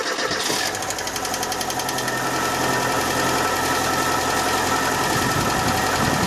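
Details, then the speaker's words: 1.6 injector 8-valve engine, cold start after sitting a day: strong fast hydraulic lifter ticking for the first seconds, easing off within a few crankshaft turns as oil fills the lifters, then running smoothly. "мы слышали первые секунды был цокот такой да сильный сейчас он чуть слабеет вот буквально там пару оборотов коленвала звук пропал"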